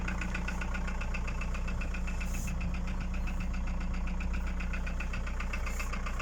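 Steady diesel idle with a regular knock running under it, about two or three per second; the source of the knock is unclear.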